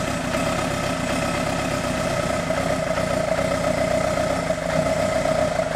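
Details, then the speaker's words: 1986 Kawasaki GPZ 1000R, idle with exhaust temps 220, 220, 140: uneven, slightly lumpy idle under a steady mid-pitch drone; one cylinder not firing. "let's see what our exhaust temps are 220 220 140 means that one cylinder is not firing right"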